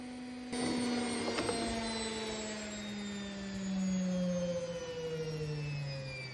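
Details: Bush WMDF612 washing machine on service-mode spin with two wet towels: loud rumbling roar under a whining motor tone slowly dropping in pitch, from bad drum bearings.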